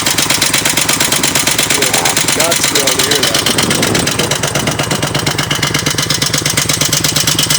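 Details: 2004 Ultra V-twin at idle: loud rapid regular ticking about three per second, recurring problem also heard earlier; owner suspects lifter or compensator nut, engine knock not yet identified.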